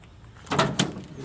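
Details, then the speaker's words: 2007 Toyota Tundra SR5 tailgate shaken by hand after replacing a cheap part to cure a huge rattle: two dull, solid thunks with no loose rattle after, only a slight remaining sound; tailgate now secure and quiet. "Everything is lined up correctly, and if I grab it and try to make that noise, there's nothing."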